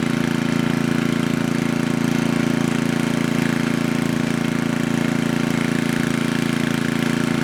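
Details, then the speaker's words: Coleman Powermate Maxa 5000 ER generator, reassembled, after draining the carburetor and adjusting the bottom fuel mix screw. Steady, even drone at governed speed with no misses or hunting: running normally. "Alright, there is nothing wrong with this machine anymore. It was just the fuel mix screw on the bottom."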